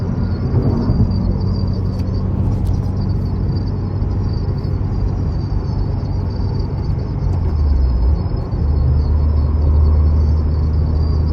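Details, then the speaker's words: 2022+ Subaru WRX with STI-style rear wing at about 45-50+ mph: a thin, steady high whistle from air through a gap in the wing over heavy road rumble, before installing the Whistle B-Gone kit. "y'all hear that and it really only happens when I get upwards to like 45 50 plus miles an hour you can hear it hear that"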